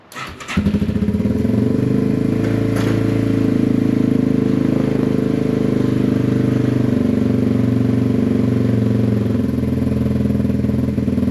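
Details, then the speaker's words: Yamaha TW200 single after sitting a long time (starter solenoid suspected sticking), running on half choke: catches and settles into a steady, even idle with no misses or knocks; running fine. "That's half choke. Not sounding too bad, is it?"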